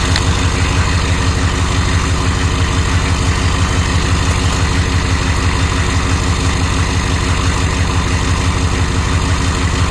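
A heavy, steady diesel idle with a hard, regular knock beating through it at an even pace, so there is a knock of undetermined origin.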